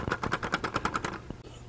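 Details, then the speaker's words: 3D-printed silent desk clock: quick light plastic ticking about ten per second, then stops; printed plastic parts have developed a slight rattle over time as it runs. "but over time the the plastic starts making a little bit of a rattling noise"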